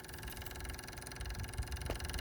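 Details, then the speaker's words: John Deere 214 garden tractor with newly installed relay-powered electric fuel pump, ignition switched on: fast, even, dull rattle of the pump running normally primed with fuel (a loud pinging meant no fuel). "oing to turn the ignition switch just over to the on position you hear that clicking noise that's the fuel pump going"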